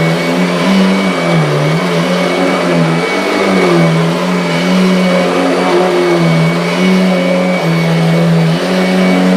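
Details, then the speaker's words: Kirby vacuum cleaner: motor hum keeps dipping and sagging in pitch as the brush loads up, stalling on the belt at low height setting, belt light flickering; labouring on a worn, slipping belt due for replacement. "can hear it's starting to struggle, and the belt light is flickering. So I think, yes, well, certainly before my proper demo, I will put a nice new belt in to the Kirby."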